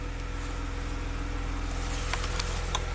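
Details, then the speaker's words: 2016 Maserati Ghibli twin turbo after new timing chains were installed, first start: quiet smooth idle with a fine even pulse and no knocking or chain rattle, a few light background clicks; running smoothly. "it's running super smooth that's good"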